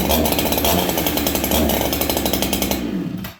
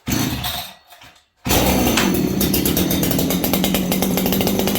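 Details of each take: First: 288 chainsaw started on choke in cold weather (around -10): a high, steady two-stroke buzz held evenly, then cut cleanly; it runs well but slightly lean because of the cold and needs retuning. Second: Farmertec 288 kit chainsaw, cold start with no adjustment: fires up and burbles unevenly, blubbering and four-stroking instead of running crisp; carburettor set far too rich.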